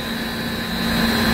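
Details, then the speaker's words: Refrigeration evaporative condenser at about 50–60°F ambient, VFD just kicked in: steady low hum with faint whine under even air rush, condenser fans turning slowly as intended to prevent liquid logging; normal operation. "humming sound you know the VFD kick didn't hear that but you want that thing to wrap it slowly and up control the condenser"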